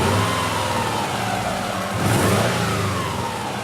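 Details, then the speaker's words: Subaru engine after the fix, revving: a clean, even rev that swells and settles smoothly with no knocks or ticks. The earlier noise is gone and the engine sounds as it should. "that's what it's supposed to sound that is the noise is gone"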